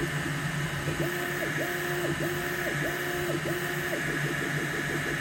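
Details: Neptune 4 Pro 3D printer running: thin squeak sliding up and down in pitch about every half second as the print head moves, over steady fan hum.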